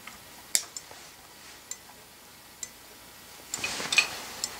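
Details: Open thermal turn signal flasher with its cover off: light, sharp ticks at a slow, somewhat uneven pace in a quiet room; the bending metal strip switches the contacts normally.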